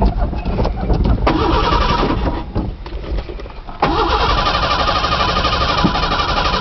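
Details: Truck on a new battery, cold first start after sitting about two months: steady cranking churn with no catch for several seconds, then another try that stays at cranking speed; crank no start, owner suspects it's out of gas.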